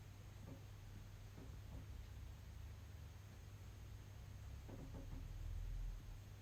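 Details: EcoFlow Delta Pro power station in early morning or evening low solar output: faint sharp clicks about every second over a quiet hum as the relay keeps connecting and disconnecting the weak solar input, cycling for over 30 minutes.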